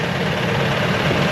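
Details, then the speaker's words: Old Ford F150 4.6 V8, first start at idle: deep, slightly uneven rumble with a slight misfire and some rattling; oil bottles in bed suggested a major engine or oil-system problem, no oil leaking underneath; cause unconfirmed. "let's see if it's going to start woo yeah it's started hang on here let's take again here okay so we're kind of misfiring a little"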